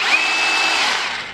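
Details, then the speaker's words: OSUKA OCRH852 cordless brushless rotary hammer in plain drill-only mode; smooth steady high motor whine with no hammering blows, then even spin-down, sounding like an ordinary drill, normal running. "10เสียงมันจะประมาประมาณนี้นะครับเสียงจะคล้ายๆกับสว่านเพราะว่าเราแค่เจาะเฉยๆเอาไว้เจาะไม้เจาะเหล็กอะไรประมาณนี้เนาะ"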